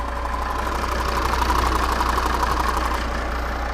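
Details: Volvo P3-platform diesel (XC70/XC60/S60/S80) at idle: quick, fairly regular tapping about three a second near the injection pump, rising with revs; vacuum pump check valve faulty, pulsating rapidly.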